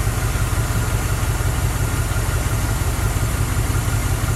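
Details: 1977 Dodge van with 318 2bbl after a mileage and horsepower rebuild, air cleaner refitted: even, steady low rumble at idle with no misses, knocks or ticks; running smooth and healthy.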